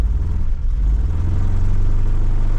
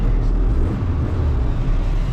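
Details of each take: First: 1992 Cavalier Diplomat, pre-facelift, being returned to the road after three-plus years. A low rumble with a slightly uneven beat just after a hard start; not running quite right, and the owner suspects it needs a head gasket. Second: 1992 Vauxhall Cavalier Diplomat, recently back on the road after sitting about three years. Weak start, possible crank sensor suspected. Deep, even idle rumble with a steady beat, no missing; running on all cylinders, sounds good.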